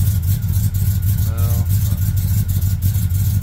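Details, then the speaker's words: Truck engine revving, spark plug problem suspected: uneven lumpy exhaust beat with irregular stumble; still running rough, likely misfire; battery disconnect planned to reset computers. "yeah no this is nasty it's still not happy"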